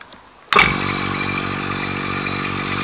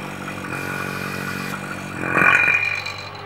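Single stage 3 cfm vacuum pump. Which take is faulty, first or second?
first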